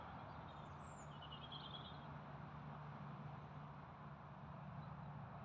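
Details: Massey Ferguson 35 diesel after overhaul, fixing leaking valves and leaks on top: even, steady low drone, constant note, no misses or pulsing; running smoothly.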